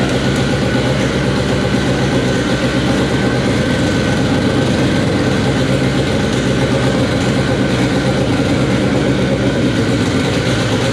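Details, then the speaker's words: K24-swapped AWD Acura Integra first start on a FuelTech FT600 ECU: loud, smooth, steady idle with a constant low drone and no misses, knocks or surging; runs well but still needs fuel tuning. "so so all right guys well there you have it it officially runs on fuel tech after what seemed to be like two days of just settings and doing weird things to get it to run but uh yeah that was awesome sounds good we need some fuel tuning but that'll be next"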